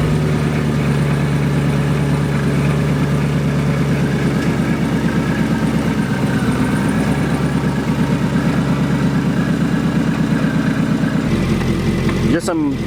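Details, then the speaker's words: Whipple-supercharged Camaro SS 1LE warming up after belt installation. Steady, lumpy idle with a faint light rattle on top, the usual blower gear chatter it has made since day one: a normal supercharger gear rattle at idle. "usually these whipples you'll hear like a slight kind of little it'll sound like a rattle at normal"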